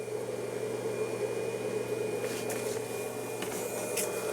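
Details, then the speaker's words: Aftermarket 1000 W inverter installed in the OEM location of a 2014 Ram 3500, switched on by push button and powering a charger: quiet steady hum with a faint high cooling-fan whine, no buzzing or cutting out; normal operation. "And once again, you push button on, turns the inverter on. You can hear it running."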